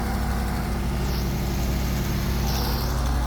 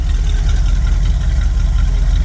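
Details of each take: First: 1979 Ford E-350 Chateau RV V8 at idle after repairs and light tune: steady deep idle with faint rhythmic puffing tick; major exhaust leak at the heat tube, still to be fixed. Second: 1979 Ford E-350 Chateau RV after repairs and light tune, dual exhaust, needs electric choke, likely old fuel: deep steady V8 rumble at idle, even beat, no knocks or misses, not smelling too rich; healthy.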